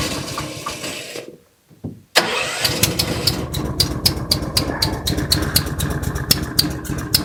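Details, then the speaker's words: Honda-engined side-by-side ATV, owner says carburetor needs changing: cranks and catches, then idles unevenly and rough with sharp ticks about four per second and occasional pops; suspected valve tapping under the valve cover, popping like a valve not seated properly. "Yeah, she's struggling a little bit. I'm hearing a little bit of valve, sounds like valve tapping going on underneath the valve cover."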